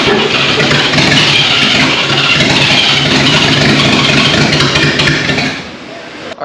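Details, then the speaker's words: 1939 GMC COE 4x4 started for the first time in 60 years. Ragged sputtering as the six fires on only two to four cylinders. A misfire is suspected from fuel, spark or timing; later found to be mostly updraft-carb fuel delivery and wet plugs. "at this point you can hear the truck is sputtering it's hitting on three four two cylinders out of the six"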